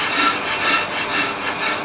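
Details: Ford Fiesta with EBC Turbo Groove brake discs during the rough cut on an on-car Pro Cut lathe: a clear intermittent scraping cut that swells and fades about twice a second, showing the disc is distorted and running out and needs machining.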